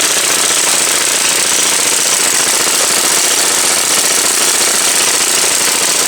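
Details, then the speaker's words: MTD Yard Machine snow blower small engine, sat about a year and a half, running on mixed fuel: loud rattling buzz with choppy, uneven pulses, still running a little iffy; cause unconfirmed (fuel mix suspected). "So, it's still running a little iffy, but I think it's good enough to fold that stuff back together, though."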